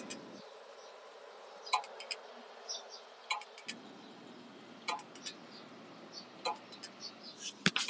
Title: Toshiba hdd clicking sound